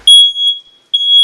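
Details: Household smoke detector that had been going on and off for about 30 minutes: two long, piercing high beeps of about half a second each, under a second apart. The alarm is sounding.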